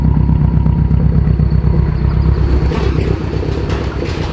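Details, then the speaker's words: Subaru STI engine: deep, lumpy idle with an uneven, stumbling misfire; owner suspects one dead cylinder and plans compression testing, engine likely coming out. "what is going on friends welcome back to the channel that car is not happy not happy at all"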